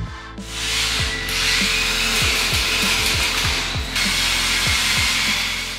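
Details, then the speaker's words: Radio-controlled 1:16 four-wheel-drive "Pickup" off-road model with soft wheels on suspension, after repair of no steering and weak drive: quick bursts of high electric motor whine spinning up and down with light gear chatter; drivetrain clean, repair complete. "дополнительные эффекты не проявились и ремонт этой радиоуправляемой модели можно считать завершенным"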